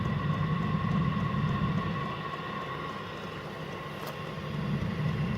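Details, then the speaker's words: Chinese diesel heater on its first start, not yet installed, cover still on top: steady low hum with faint fan whine, dipping briefly then swelling as it winds up to full speed like a plane on the runway; normal run-up. "So rather like a plane on the runway. It's now building up to full speed."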